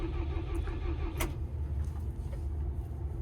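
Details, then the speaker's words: Perkins-engined diesel plant machine after 2-3 very cold mornings, fuel-related error codes E0000157-18: steady, low cranking drone that never catches; the mechanic suspects gelled fuel in the fine Perkins filter. "I was going to say the fuel filter will be gelled, but it probably still is, because it'll have been dropped off here and it's had 2-3 mornings of really cold weather, and it doesn't start."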